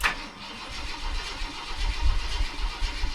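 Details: Junker donor car with a 1966 four-barrel intake and Edelbrock carburetor, cranked after sitting two days with a battery fitted: long, low, uneven starter churning without the engine catching cleanly.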